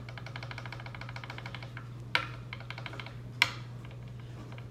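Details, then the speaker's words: 2003 Fender Highway One Precision Bass during setup: quick light ticking of a fret rocker rocking on the neck, showing the 11th fret sits slightly high. "you can hear that you might be able to hear a little rattle there and that doesn't rattle so much what does so yeah my 11th frets a little high it's not a lot high"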